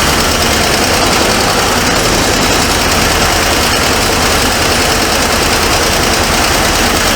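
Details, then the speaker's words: 1978 Ford Mustang II, Ford 302 V8, first revival run: loud rough idle with fast steady ticking; owner suspects a bad collapsed lifter letting the pushrod slam against the rocker, unconfirmed. "if you can hear that ticking sound there might be the push rod that's uh slamming Against The"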